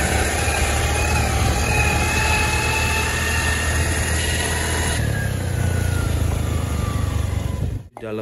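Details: Honda Beat automatic scooter while riding: thin whine rising with road speed and falling as it slows, over the engine noise; final reduction (ratio) gears in the gearbox found worn down, to be replaced as a set.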